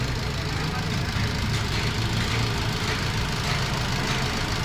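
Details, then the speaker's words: Maruti Swift Dzire diesel after head removal and gasket replacement, previously rattling at start: now steady, even clatter at idle with a constant low rumble, no loose rattles or knocks, and no check-engine light; normal idle. "यह देखो कोई check engine light नहीं और यह देखो engine start ये आवाज बनी है देख लो गाड़ी की"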